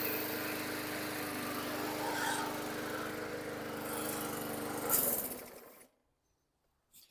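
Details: 2010 Yard Machines 22" push mower (MTD 11A-084E029), rusty, running after fitting an aftermarket carburetor and a rebuilt tank: a steady, even single-cylinder run for about five seconds, then it shuts down and spins to a stop. Normal running.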